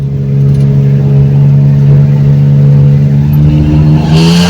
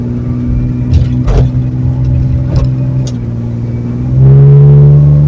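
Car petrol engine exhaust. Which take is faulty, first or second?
first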